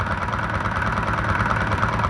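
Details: Honda Titan 125 single-cylinder motorcycle at idle, listened with a tool near the cam gear on the timing side: fast, even clatter riding on the idle, strongest there; damaged camshaft.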